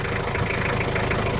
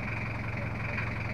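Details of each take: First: Toyota Kijang LGX 2.5 diesel idling after service, previously rough with valve clearance due; now not as rough as before: even, steady diesel clatter with no roughness or misses, normal healthy idle. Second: Toyota Kijang LGX 2.5 diesel at idle, brought in with rough engine sound, oil seepage and coolant issues, mechanic says valve clearance setting is due: uneven lumpy pulse with a harsh rattle over the beat, rough idle from valve clearance out of adjustment.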